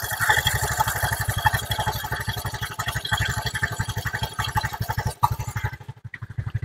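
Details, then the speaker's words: Honda Vario 110 carbureted scooter after carburetor work and re-setting for unstable idle and hesitation: even, steady pulsing idle around 1200 rpm with no hunting or surging; idle now stable, still stable when turned lower. "Nah ini bisa dilihat untuk langsamnya ada di berapa ribu RPM Monggo bisaengarkan untuk suara atau langsamnya ini di kurang lebih 1200"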